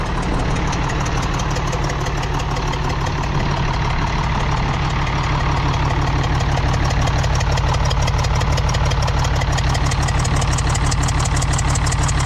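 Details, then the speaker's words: International D282 diesel in a Galion crane with a rebuilt Roosa Master DBG pump, idling with a slightly uneven puff-puff exhaust beat about twice a second. It runs poorly until warm, and the owner suspects a burnt valve or cracked valve seat on cylinder 1. "This engine's got a burnt valve or something on number one. It doesn't run real good till it gets good and warm. And it's got a foop foop foop noise out the exhaust."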